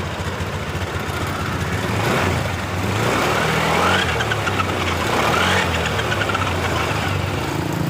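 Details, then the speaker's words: Honda Beat LED Deluxe showing DTC code 7, engine running but sputtering ("brebet") when throttle is first opened, sometimes normal: uneven pops about four a second rising and falling with throttle. "motornya mengalami berebet. Motor sudah hidup tapi mal eh rada berebet seperti"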